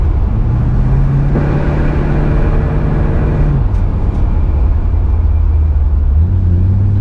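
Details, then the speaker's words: Impala V8 after low-voltage fix; previously wouldn't take off after idling, now revs up evenly for a couple seconds and settles to a smooth idle without stumbling; running clean, new Chinese voltage regulator deemed faulty. "So last night at an idle, after an idle, it wouldn't take off. Now it does. She's running like a scalded hound."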